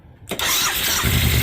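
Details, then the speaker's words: 2000 Suzuki VL1500 Intruder LC V-twin, sat 10 years, first start after new battery, Seafoam in the tank and professionally rebuilt carburetors: quick catch on the starter, then firm, even lumpy idle, no sputter, no fuel spitting; healthy start. "Oh, listen to that. I love it. She runs. No gas spitting out anywhere."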